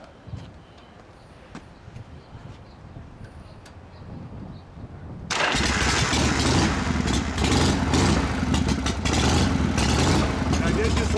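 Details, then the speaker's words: 1980 Harley-Davidson FXE with Bendix carburetor and inoperative choke, already slightly warm from a run a minute earlier: starts easily and settles into a loose, even loping idle with steady firing pulses; normal. "It's slightly warm. But it was so easy to start."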